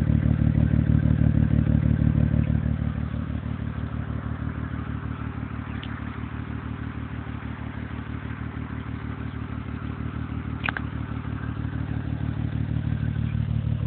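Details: 2005 Acura TL 6-speed at idle, recorded at the exhaust tips by phone: lumpy, loping idle with a regular thump about three times a second, like a cammed V8, and loud valve noise near the engine; suspected misfire.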